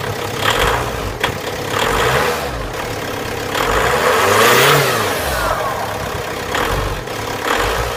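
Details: VW Passat 3C B6 2.0 TDI 125 kW diesel: knocks briefly just before starting, then runs very rough, surging unevenly with shaking and odd whooshing noises; cause unknown.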